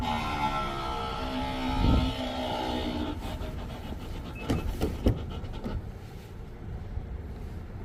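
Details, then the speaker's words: 2024 Mazda CX-90 PHEV Premium, about 5,000–5,900 miles, switched off and parked: rough buzzing tone for a few seconds, trailing into scattered clicks and knocks; owner says it occurs after driving in EV mode and began after a dealer service; cause unknown. "That doesn't sound good. Yeah. I've never heard it from any kind of a car."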